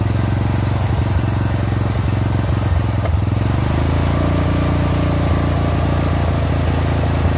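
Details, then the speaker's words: 30-year-old Murray riding mower, 13.5 hp Briggs & Stratton OHV single-cylinder, running after new carburetor: steady thumping, no pops or backfires. "that sounds much better let's just take it for a ride let's see what happens"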